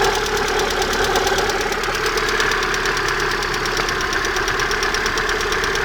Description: стук в районе выпускного коллектора, что может быть?